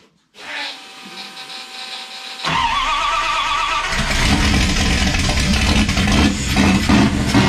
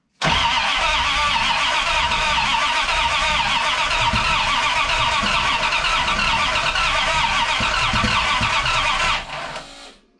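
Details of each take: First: '51 Dodge dually, 5.9 Magnum 360 with eBay GT45 turbo, Holley Terminator X EFI, LS coils, Dual Sync distributor, custom headers and exhaust. Starter catches, a loud V8 settles into a strong even lope and picks up cleanly: normal running and revving. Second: '51 Dodge dually, turbo 5.9 Magnum on Holley Terminator X EFI with a Dual Sync distributor, first start attempt. Regulator vacuum unhooked, only 28 psi fuel pressure, smoke seen. Steady fast cranking, about four turns a second, with no firing: cranks but won't start, distributor possibly 180 degrees out.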